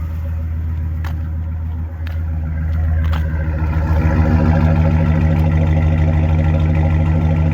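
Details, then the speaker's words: 2010 Ford F-150 5.4 V8, about 173,000–175,000 miles, had a P0303 misfire with a flashing check engine light. After fitting a Ford ignition coil, reconnecting the coil connectors and finding a missing ground strap, the exhaust idles smooth and steady with no stumbles. "Sounds pretty smooth for 2010. And she's got some miles on her."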